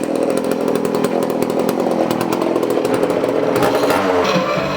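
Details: 1981 Poulan Counter Vibe 4000 chainsaw, after cleaning the ignition module, blamed for most of the problem: steady crisp high two-stroke buzz without stumbling or surging; running well.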